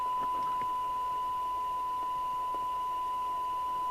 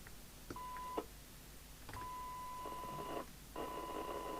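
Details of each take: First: Commtron CB40F CB27/81 UK FM CB radio (Maxon built, December 1981) after re-alignment, signal-generator squelch test: steady hiss cuts in cleanly at the set threshold with no chatter, a touch harsh on top; normal squelch operation. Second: Commtron CB40F CB27/81 UK FM CB radio (Maxon built, December 1981): signal-generator test tone comes through harsh and buzzy with extra overtones and dropouts; distorted receive audio from misalignment.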